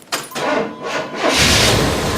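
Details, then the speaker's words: Vehicle with completely dead battery behind seat, cold weather, jump-started with 2000-amp peak jump-start pack: starter churns briefly, engine catches quickly and settles into steady, even run; healthy start, left to warm up. "awesome. That's awesome. I'm going to let this warm up a bit, because that was my initial goal."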